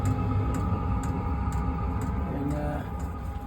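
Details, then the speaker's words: Newly installed diesel heater under salon bench on a boat: fan starts blowing, then fuel pump ticks about twice a second over a soft steady hum; runs quietly, good heat output, normal operation. "but it starts blowing and then it'll start ticking and getting fuel in there"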